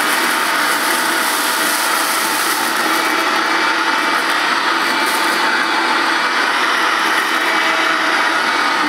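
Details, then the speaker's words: Vintage 1984-design Hoover S1122 Dustette 150 W mains handheld vacuum, new in box, dirty-fan design, picking up couscous: steady high motor whine with gritty rattling as debris passes through the fan before the bag; normal. "might make a bit of Noise with the the cuscus of course being a dirty fan I forgot about that when I put the cuscus down it's going to go through the fan before it gets to the bag"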